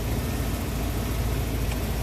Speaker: I believe we did a good job man I know I'm filthy Oh Motors run smooth sounds good